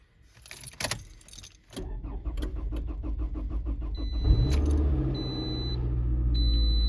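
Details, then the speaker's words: Raviolina first startup after timing chain replacement, coolant temp sensor reconnected after a no-start: engine catches after a few cranks and settles into a steady, even idle with no chain rattle; healthy. "again there you go she ain't rattling"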